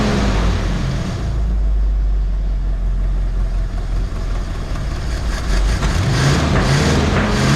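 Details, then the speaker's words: 1969 Mercury Cougar H-code 351 V8, automatic, dual glasspack exhaust, just pulled from storage: deep uneven rumble, lumpy stumbling beat as it revs; owner thinks it is running on about seven cylinders, misfire suspected. "i could tell right off the bat i think this thing's running on about seven cylinders right off the bat"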